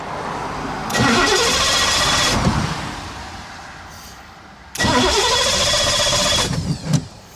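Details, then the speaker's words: Cobra broken down on the road: two long bursts of fast starter whirring, about two seconds each, with no catch or firing; owner suspects no fuel getting through, though fuel can be smelled and no leaks found; cranks, no start. "It's like it's not getting any fuel at all now."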